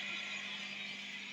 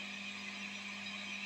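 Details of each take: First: Guitar pedalboard with MXR Mini Iso-Brick not powering any tone-altering pedals, attenuator in normal mode: soft steady hiss with a faint low hum, no crackle or rising buzz. Normal background noise. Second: MXR mini iso brick pedal power supply: steady low hum under constant bright hiss with attenuator in chain, increased hum not there before, worse on the higher-amperage outlet; power supply injecting noise.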